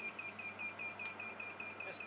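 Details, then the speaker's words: Zero Breeze ElecHive 2200 power station overloaded to 2315 W by a heat gun: the inverter cuts off and gives rapid high-pitched warning beeps, about five a second, as the BMS protects the battery. "We're at 2315 watts, and we just cut off. Okay, and you can hear it kind of beeping at me. Not happy, but it did what it's supposed to do and cut off to protect this inverter."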